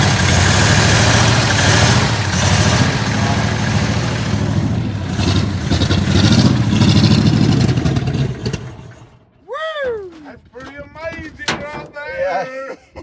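Rough but steady low rumble of an old V8 running for several seconds on bowl fuel, kept alive with throttle, then dies away.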